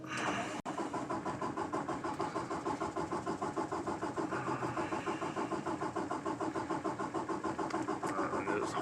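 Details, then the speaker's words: 2018 Peterbilt 579 diesel truck, days after dealer replaced the priming pump assembly for a no-fuel-prime fault: even cranking at about six compression pulses a second for nine seconds without catching, a hard start that has recurred since new and is now worse. "yeah it's worse than it ever has since they had it for two weeks straight"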